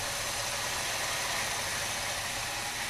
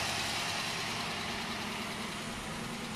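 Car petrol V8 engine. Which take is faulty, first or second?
second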